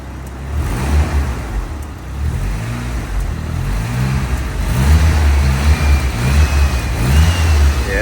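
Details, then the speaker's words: Nissan S15 SR20, formerly naturally aspirated, just turbocharged, with an R34 GTT muffler; the MAF is not fitted yet and it is kept out of boost. A light throttle blip rises and falls smoothly, with a quiet, muted exhaust and no hiss or rattle. Healthy. "I see it's ready to spool already and I love how quiet it is you can't really tell that you know it's just like a car with an exhaust in it that's too good that's way too good"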